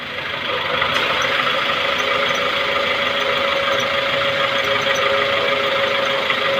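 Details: Maruti Suzuki Baleno idling: steady squealing whine over the engine while the steering wheel is turned; loud steering noise when turning, cause unknown.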